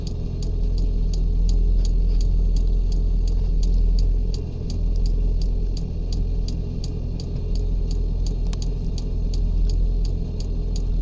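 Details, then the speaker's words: 5 kW 12 V diesel air heater, first start in a truck bed with truck engine running to charge battery: crisp even ticks about three a second over low engine rumble as the dosing pump primes fuel normally. "just turn it on and see what happens all right I heard some clicking fans going"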